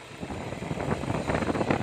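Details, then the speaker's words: 2007 Toyota Innova diesel that would not start due to a faulty high-pressure pump, now running after a second-hand pump was fitted: busy, uneven diesel idle clatter with some wind, no misses or knocks; idling normally. "दोस्तों आप देख सकते हो engine start है, कोई दिक्कत नहीं"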